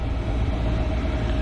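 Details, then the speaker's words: Lochinvar boiler that had been failing to light, owner suspects low air, now relit: steady low burner roar with faint constant hum, even and unbroken; stage two not yet on but water heating; firing normally. "that little Stage two usually comes on by now maybe it didn't need it but the water is already getting hot"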